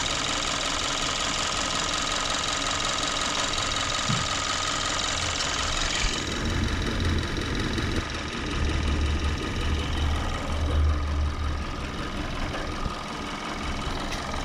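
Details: 2014 Kia Forte petrol engine with check engine light, hard misfire at idle, P0301: uneven lumpy idle with irregular low thumps; drop test and connectors point to cylinder 1, broken connector seen.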